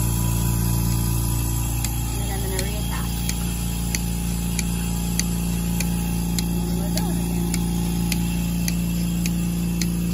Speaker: if you hear the clicking noise that means that we have good suction and we're good to go